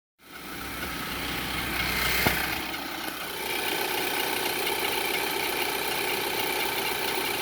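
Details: 2011–2012 Infiniti QX56 with a loose timing chain: a loud whistle at cold start and idle that fades slightly when warm. It is heard under hard acceleration and above about 3000 rpm, with a slight chain rattle.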